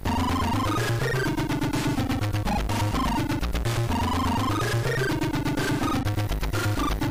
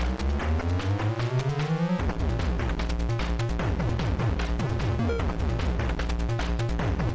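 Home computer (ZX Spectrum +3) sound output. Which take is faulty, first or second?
first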